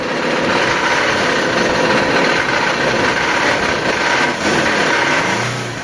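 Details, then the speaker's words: Ford Ranger 3.2 2019 diesel running: dense metallic clatter over the engine note, a timing chain left slack by a timing chain tensioner losing efficiency; sometimes loud, sometimes quiet, worsening over time. "esse barulho é mais comum do que você imagina principalmente nas Rangers 3.2 ano 2019 e esse defeito ele acontece devido ao tensionador da corrente de comando que ele acaba perdendo a eficiência e deixando ela frouxa"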